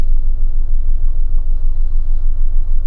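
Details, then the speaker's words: Car with retightened intake manifold nuts, new coil pack and plugs, secondhand coil, leads and throttle, and fault codes cleared: a deep, uneven idle surging and sagging about twice a second; still running rough, and it later stalls. "still rough running well at least accelerate or is it hang on it's not it doesn't seem as rough well maybe it does"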